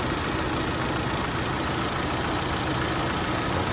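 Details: Factory-CNG Mitsubishi Lancer that shook and nearly stalled at idle on gas, after gas injector cleaning and repair: steady, even idle with no stumble or shake; engine running smoothly.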